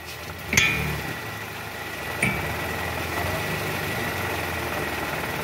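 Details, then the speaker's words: 2012 Toyota Camry 2.5 V (2AR-FE), 167,000 km, after replacing worn balancer shaft that caused diesel-like rough noise at cold start with AC on in R or D; smooth even idle, no clatter; normal idle. "Oke suara kasarnya sudah enggak ada guys jadi suara mesin 2 a ini sudah kembali normal seperti mesin Camry pada umumnya udah enggak kasar lagi ya"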